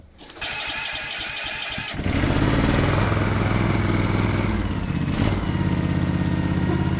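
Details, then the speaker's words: MTD twin-cylinder ride-on mower, sat outside five years: engine started with blade belt and spring-loaded idler connected, settles into a rough loud clattering drone under the deck; dry blade spindle bearings spinning but very noisy, before oiling. "oh they were spinning all right just very noisy"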